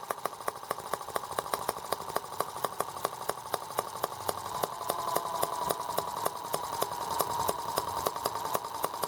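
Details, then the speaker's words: R18 model engine on first start with a replacement Hall sensor harness; ignition now works. Sharp, fast popping with uneven surges in loudness, running rough and rocking hard. Cause unclear; nothing was loosened. "Now I wonder why it's rocking so hard. I didn't loosen anything up."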